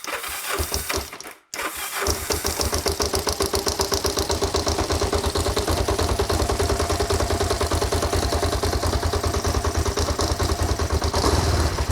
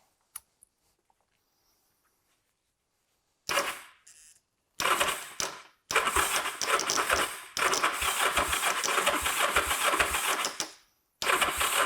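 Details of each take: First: Kawasaki GPZ 500S left outside three to four years, restarted on choke after extra battery charge and fuel: cranks briefly, catches and settles into an even twin-cylinder beat, not very smoky. Normal running. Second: Kawasaki GPZ 500S, left outside three to four years, with fuel poured directly into the engine because the tank is full of rubbish: short cranking bursts that never catch. Someone suggests it needs more fuel.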